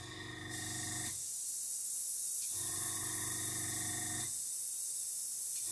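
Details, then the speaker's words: Gaahleri GHAC-Swallowtail trigger airbrush at about 10 psi: steady hissy air bursts on and off about every 1.5 seconds, sputtering as dried paint at the tip (tip dry) is blown clear. "okay now we've got tip dry so I'm just going to blow it through"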